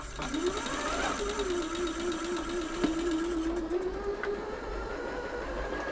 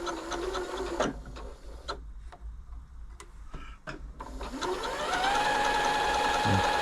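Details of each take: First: Janome Atelier 6 sewing machine in service, before WD40 lube: light, uneven ticking about twice a second over the motor hum, after a faint grinding was noticed. Owner suspects the hook; source unconfirmed. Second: Janome Atelier 6 sewing machine during a general service, running after oiling the stepper-motor feed-dog mechanism: steady, even hum with light regular stitching clicks, no grinding or knocking, smooth and quiet.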